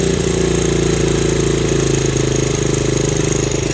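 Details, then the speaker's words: 1970 Honda CL100, about 11,000 miles, formerly seized engine, choke off and idle screw readjusted: small single putters at an even, steady idle beat with no misses, knocks or hunting; healthy idle. "wo that sounds good that's awesome"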